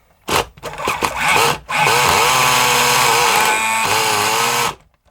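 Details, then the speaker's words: Kyosho Mini Inferno nitro buggy on a starter box with a brand-new motor: steady electric whir sagging under load as the engine barely turns; motor too weak, box guides possibly missing, engine running too rich. "the motor is not strong enough to turn the engine it's a brand new motor in the starter box"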